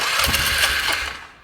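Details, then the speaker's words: Polaris Sportsman ATV, airbox missing, on starting fluid: a few quick, even cranking pulses with lively spin, no knocks or grinding; healthy cranking. "Starter smacking tool. Yeah, that action sauce. She sounds healthy though."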